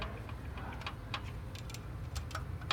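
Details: Toyota Prius came in with an engine knocking sound: a sharp ticking knock about three times a second over a low engine rumble; bottom of the engine inspected.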